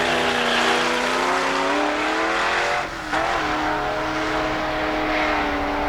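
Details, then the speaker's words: 1973 Plymouth Duster 340 on a drag strip pass with timing backed way down: engine screams high and steady, dips around the shift, then revs flare and hang as the rear tires slip long in second gear; the tires are blamed. "Listen to that long slipping tires in second gear there. Even with the timing backed way down, that car just liked to spin the tires."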